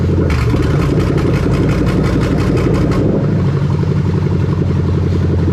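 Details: 1998-2000 Lexus LS400 1UZ-FE VVT-i V8 on test with new rebuilt LHD harness: quick throttle blips, then drops to smooth, even idle with no misses, knocks or ticks; runs healthy.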